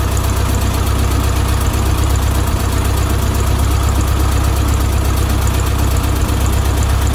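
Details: 1972 VW Beetle 1200 air-cooled flat-four, first start after oil change and valve timing recheck: deep even chuffing at steady idle, no ticking or knocking; oil pressure good, no leaks, normal idle.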